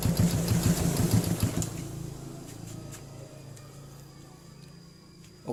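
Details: Motorcycle after carburetor float adjustment to stop fuel leaking from the overflow: short blip of revs, then settles into a quiet, even idle with no stumbling. Normal running.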